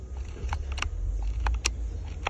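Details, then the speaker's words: Replacement headlight switch taken from a just-arrived donor truck (owner's own switch is faulty): crisp distinct clicks in small groups over a low engine rumble as the switch detents cleanly through its positions, working normally. "I am taking a headlight switch because my headlight switch is actually messed up on it. And this one, you can hear it."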